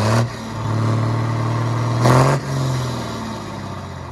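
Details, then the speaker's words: Hyundai 6D16 diesel, after head retorque (80 then 180°), fires and idles evenly; a quick rev rises and falls cleanly with no knock or clatter. Normal start and rev. "Ok nha mọi người Ok rồi tính ra cái máy này Hên quá không có không có bị lệch tăng rồi"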